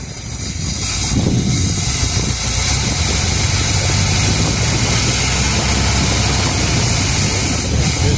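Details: 1978 Chevrolet Custom Deluxe truck sat 21 years, just started, run briefly with no coolant: after a brief rev it settles into a quiet, even, steady rumble; normal smooth idle, though accelerator pump seal leaks fuel.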